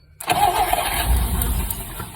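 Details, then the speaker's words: 1959 Rambler, 195 flathead inline-6, automatic, parked for years: after fixing a loose positive coil wire, brief crank then it lights off suddenly and settles to a steady even run; battery nearly drained from cranking. "whoa man that thing lit off all of a sudden let's hook this wire back up and see what happens"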